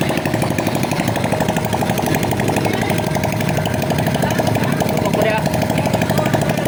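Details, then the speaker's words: Honda XRM 125 single-cylinder motorcycle after overhaul with new cylinder block, rings, connecting rod and pin replaced for a damaged rod: even steady idle, connecting-rod noise gone; normal idle. "S one f so ito na mga ideas okay na itong ganyang makina at wala na yung ingay ng connecting R"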